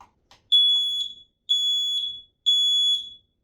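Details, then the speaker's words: X-Sense 10-year battery smoke alarm mounted in its bracket, test button pressed: three loud, ear-piercing high beeps about three-quarters of a second each, roughly a second apart; test alarm sounding normally. "As you can heard, you have the ear-piercing test. So you need to have it mounted in the bracket to do that."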